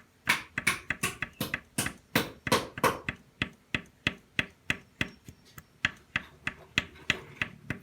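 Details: Yamaha Jupiter Z motorcycle engine: sharp metallic taps about three a second with a rattly ring on each blow. The cause is a worn, loose connecting rod; the fix is replacing the rod, using original crankshaft bearings.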